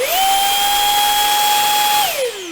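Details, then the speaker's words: Samsung Jet 90 pet vacuum, about three years old, smaller nozzle: spins up to a loud steady high whine and winds down smoothly; noisy but working normally, unlike the faulty larger turbo brush. "You can hear it, it's noisy, but it works fine."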